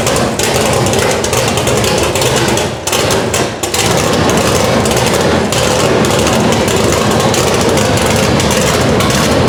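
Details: Chevelle with a newly installed Edelbrock Pro-Flo 4 EFI at first start on open headers, injection not yet fine-tuned: very loud, harsh, choppy V8 rumble holding a steady idle with no misses; normal running.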